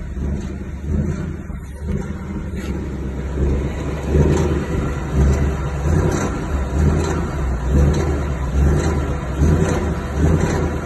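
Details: 2019 Ford Mustang GT 10-speed after TSB 19-2140, noise unchanged: low uneven rumbling pulses a bit over once a second as throttle comes on and off; off-throttle engine noise, cause unknown.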